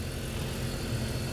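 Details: BMW 325i (2005, possibly 2003) with an intermittent cylinder 2 misfire and P0300, restarted while back-probing the coil: an even, steady low idle with no misfire felt, and the waveform looks much better. Normal idle.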